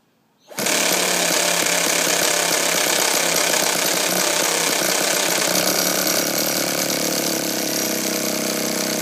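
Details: Hobbyking 1/5 scale nitro bike after clutch spring ends reconnected: loud steady buzzing crank for several seconds, never fires; clutch/drivetrain still jams at low speed, so cranks but won't start.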